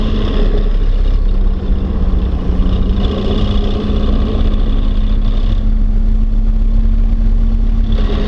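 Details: Rockwell 2.5-ton truck, microphone inside the cab: heavy steady rumble with a constant low hum on top and some chatter, source unclear by ear.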